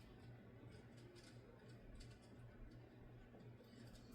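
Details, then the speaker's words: 1990 Encon Corinthian 42-inch ceiling fan, startup from 0 to high: faint steady motor hum under soft air rush, no knocks or rubbing; slight hum typical of this fan, now quieter than before. "Yeah, the slight humming on the motor is nothing new. If anything, this fan has actually got a hell of a lot quieter since the last time I filmed it."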